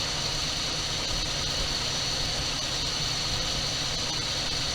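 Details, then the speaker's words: 1978 Dodge D200 crew cab, 318 V8, abandoned 17 years and supposedly having a broken crankshaft, first run after priming carburetor with gas: steady even idle with smooth rumble, no knocks or clatter; runs well. "I don't hear any noises, so I'm curious about the supposed broken crankshaft. It sounds to me like a pretty good running motor."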